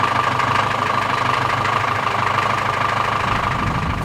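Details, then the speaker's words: Old tractor being fired up after draining milky, water-contaminated hydraulic fluid and refilling with reused hydraulic oil to flush it; it doesn't like to run at the moment. Old diesel clattering unevenly at idle, wandering knock about three per second: rough running, cause unconfirmed. "and then we're gonna fire it up again, which is not always easy. This old tractor doesn't like to run at the moment."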